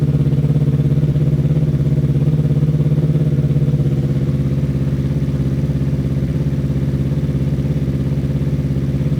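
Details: Newly built Yamaha R3 superbike race engine, replacing the stock motor, first start on a freshly flashed ECU map before dyno tune; smooth steady idle, no rough ticking or knocking, mechanically sound and assembled right; normal idle.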